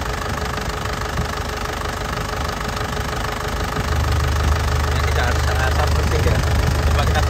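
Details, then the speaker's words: 2010 Isuzu Panther LS turbo diesel revved from idle: usual crisp diesel clatter climbing smoothly to a steady higher rev with no odd knocks. Vibration is stable with no stumbling, no oil leaks and no smoke. Engine is healthy. "Dari suaranya renyahnya khas penter ya. Dari getarannya ini stabil, tidak pincang."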